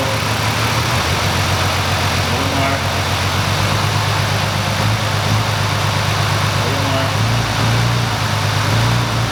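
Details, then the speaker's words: 2005 Ford Freestyle 3.0L V6, no codes except P1000: engine held in gear under load gives an uneven stumbling beat with irregular dropouts; misfire worsens under load, milder when warm; primary ignition being investigated. "what we need eyes were able to pick up on that misfire and how it got worse once we put it under their load"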